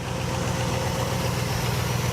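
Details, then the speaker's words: 1967 Buick GS 340 V8 idling smoothly after restart from abandonment, with clean fuel through the fuel filter and worn-out junk plugs replaced: even, steady burble with no skips, ticks or knocks. "nice and smooth hit a good fuel system good fuel"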